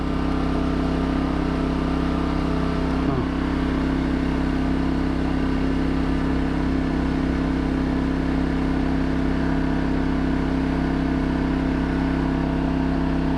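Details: New 2200 W generator running a 5000 BTU air conditioner in 38–40 °C heat, fresh oil and gas, first test after unboxing: steady, even engine drone with constant hum, no hunting or surging. Healthy running under load.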